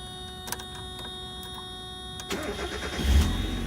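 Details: Mazda Miata M Edition, first start with new ignition and key: quiet hum, then the engine catches near two seconds in and settles into a steady low idle; clean start.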